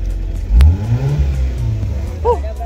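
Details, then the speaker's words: Mazda 323 Familia petrol engine that died suddenly as if losing power and then wouldn't start: after cleaning, short-checking and repairing the ECU board, it starts and runs, revving up smoothly and settling again. Normal running after the ECU repair. "umandar na ecu repair po na-repair po natin yung ecu niya"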